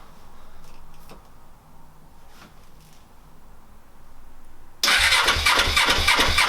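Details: Suzuki GS500 motorcycle, first start attempt after sitting 5 years, with WD-40 in the cylinder and the spark plug refitted: quiet, then a burst of cranking with a rough rumble that never runs. It turns over but won't start; cause unconfirmed.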